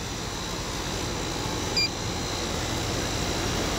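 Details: Apartment two-ton AC condenser after swap-out for a dead compressor: steady, even fan whoosh over a low compressor hum, with no knocks, rattles or surging. Superheat is 11.5, subcooling about 7, indoor about 80°F with a 20° split. Running normally.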